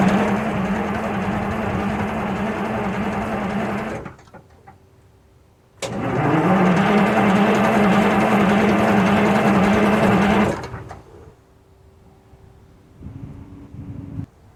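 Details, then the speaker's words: 1948 GMC Silversides PD3751 bus, cold start at 15°C without ether or preheating: two long even cranking spells about four beats a second, never catches; owner suspects cold soak in the engine block, quick start spray next. "So there you have it. Gus isn't cooperating. It was still pretty cool overnight, so it's probably still some cold soak in the engine block, but we're going to give it a little shot of quick start."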